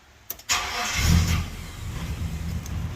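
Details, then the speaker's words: RB30 engine in a Nissan Patrol GQ started cold on a cold day: a brief crank, then it catches and settles into a steady low idle with no knocks or misfires, a normal start and idle. "Listen to that. She's running. Bit cold. It's a cold day. But it's running. There we go, idling away there now. Still running good."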